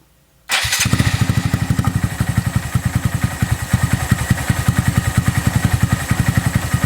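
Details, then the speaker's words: Honda Monkey with new Yoshimura SA-18-K low-volume spark arrestor insert fitted, just started and idling cold before warm-up: soft, even thumping idle about three or four beats a second, more mellow with little popping compared with the open system; healthy. "As you can hear, the idle is a lot more mellow. There's not a lot of pop in it like there was with the open system."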